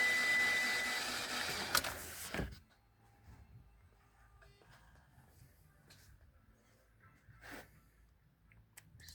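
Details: Mitsubishi Outlander 4B12, battery charged overnight to 13.5 V, cranked with a scope on the intake and exhaust cam sensor signal wires: steady, even cranking about two seconds with no firing; cam and crank signals look clean, cause still unknown.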